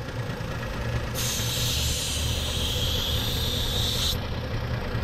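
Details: 2011 Jeep Liberty 3.7L at idle with EVAP leaks, vacuum gauge on purge valve: bright hiss starts sharply, holds about three seconds, then stops over steady low idle; vacuum sound while testing the purge system, purge valve judged good.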